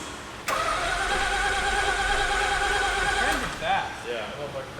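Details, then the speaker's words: Mazda Cosmo rotary, a rare JDM car, fresh plugs: steady even cranking for about three seconds, no firing. Has spark; no fuel getting in, clogged injectors suspected, brake-clean start test planned. "Yeah, it's cranking good. I spoke to the rotary master, Vargas. He said injectors probably got clogged."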